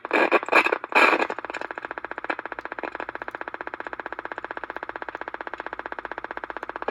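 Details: Mid-60s Panasonic R1326 AM 8-transistor 9-volt radio, first battery hookup before repair: rapid even putt-putt motorboating about ten per second after loud bursts; cap suspected.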